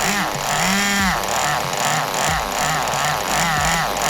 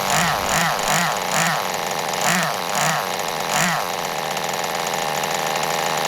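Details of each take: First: Restored 2001 Kyosho Pure Ten V-One S nitro RC car, primed and fired up for the first time: a high, buzzy little engine catches and revs in short bursts, the pitch climbing and falling cleanly. It is running normally. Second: Restored 2001 Kyosho Pure Ten V-One S nitro RC car, first start after priming: small nitro engine burbles in an uneven, blubbery rhythm around three pulses a second before cutting out; running very rich, exhaust still to be fixed.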